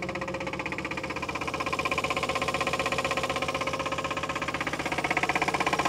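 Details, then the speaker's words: 1962 Chevrolet Biscayne, 235 Blue Flame inline-six with 3-speed column manual, sat in a Nebraska field since 1969 and just restarted: sharp, regular knock at about four per second over the idle, knocking really bad, cause unknown. "she's running it's knocking though it's knocking really bad"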